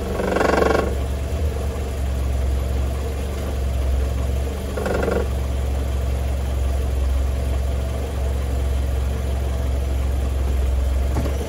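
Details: Mercedes W202 C180, 1993: idling in gear, deep steady idle with short metallic rattling bursts every few seconds; loose catalytic converter heat shield rattles.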